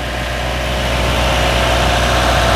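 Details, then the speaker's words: Toyota Innova at idle with AC on, after compressor replaced with new: steady even engine, no rough clicking or chirp from the compressor, which sounds healthy; vent temperature 7°C. "kompresor telah hilang ya karena ini kompresional telah baru tidak ada lagi bunyi cetak cetek dan bunyi cicitnya"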